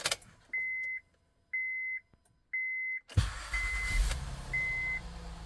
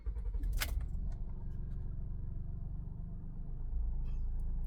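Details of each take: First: Honda Pilot after fixing P3400 code and replacing sensor, previously sluggish and chugging under 30 mph with check emission message: three chimes, starter catches, engine settles into smooth steady low idle, sounds better; normal idle. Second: Honda Pilot 3.5 V6 with P3400 code and check emission system warning, barely drives; just after start-up it chugs badly with an uneven lumpy idle, owner assumes running on three cylinders; rough idle misfire.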